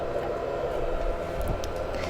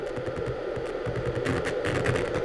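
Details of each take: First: Amiga 4000 booting: steady hum with mid-pitched whir from drive and fan spinning up, no scraping or clicking; sounds healthy, normal boot. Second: Amiga 4000 after recapping, audio output: harsh buzzy crackling distortion with reduced volume from the left channel instead of clean sound; fault not yet traced, not thought to be the capacitors.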